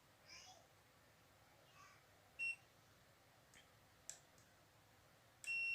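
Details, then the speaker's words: LG 32LJ510D/32LH510D TV stuck in standby, with 12 V, 5 V and 1.1 V outputs missing: a multimeter continuity check across a capacitor gives a short beep, then a steady tone in both directions, showing a short in that circuit or capacitor. "Lihat, alat ini berbunyi bip dua arah. Jadi, ada korsleting di rangkaian atau kapasitor di sini."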